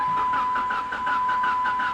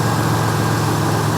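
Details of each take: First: Salvage-auction car, 198,000 miles, cranking on a battery pack: uneven drag with steady high whine, never catches, sounds like hitting on one cylinder; suspected no compression or blown head gasket; uneven cranking, no start. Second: 1992 Buick Century, 3.3 liter (3300) V6, 78,000 miles, new front struts, muffler slightly noisy: low steady even idle, no misses, knocks, ticks or smoke; normal idle.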